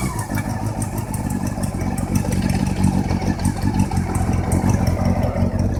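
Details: Honda CB400 VTEC engine knock: fast, sharp ticking knock over an uneven idle rumble, keeping pace with engine speed; internal knock, source not pinned down.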